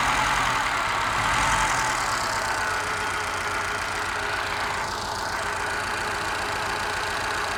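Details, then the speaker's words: Moke engine bench-tested on a stand, compression tested excellent and no smoke: steady idle thump with an occasional dropped beat; missing on one cylinder, owner suspects carby mixture, valve ruled out by compression. "Well, it's running okay, other than it's missing a little bit, but it just could be mixture with a carby. Could be a sticky valve. Definitely missing on one cylinder."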